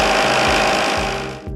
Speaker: evidence of cavitation excessive noise and vibration the gas bubble implosions sound like gravel in your pump and can cause potentially damaging vibrations